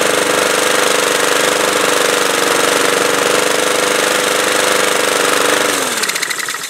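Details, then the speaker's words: Honda-engined mower that was surging, after carburettor cleaning and reassembly, a cleaned spark plug and non-ethanol fuel, warmed up and not yet fitted with an air filter: steady even engine note without surging, then shutoff. "sounds good I'll get an air filter on it and then that's it"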